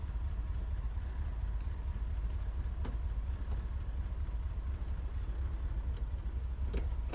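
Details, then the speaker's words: 1984 Jeep J20 3/4-ton with AMC 360 V8, first start after sitting since 1998, fuel primed: low steady V8 rumble at even idle with a few light ticks on top; normal idle. "oh it sounds good though can't turn it all hey she sounds good"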